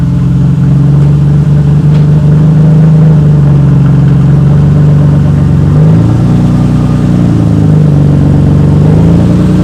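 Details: 1991 Nissan Skyline GTR R32 at startup, exhaust partly cut away after accident damage, no muffler: a loud, raw engine holding a low rumbling idle with a brief blip.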